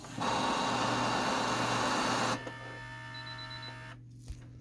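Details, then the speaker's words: Canon Pixma TS6120 inkjet printer with error 1003 (no paper in cassette), test-feeding a blank page after restart: feed motor whirs steadily about two seconds, then drops to a faint hum and stops; paper jammed on the duplexer unit. "that paper is stuck right there on the duplexer unit so what I'm gonna do [Music] gently try not to rip anything and leave any papers paper pieces in there"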